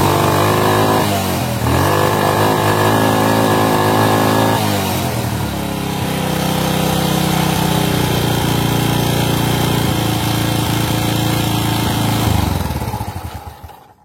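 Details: Honda Supra carbureted single: revs climb but won't reach full, flattening out as if choked, then throttle returns slowly to idle; cause suspected, not confirmed.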